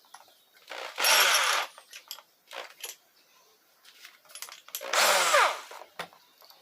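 Two short bursts of a smooth motor whir that spins up and stops cleanly, no grinding or rattle; the drill sounds healthy.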